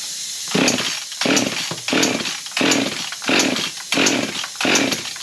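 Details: Husqvarna 55 two-stroke chainsaw that starts and idles but dies, run after a carb kit, about 40° morning: engine snaps up and falls back in uneven bursts, won't hold throttle; cause still unknown.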